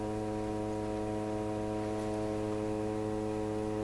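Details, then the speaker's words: Rogers 11RA651 shortwave tube radio switched on before its 6K7 and 6B6 tubes were replaced: a loud steady low hum with even overtones and no program audio; the radio is humming badly. "She's just humming like crazy."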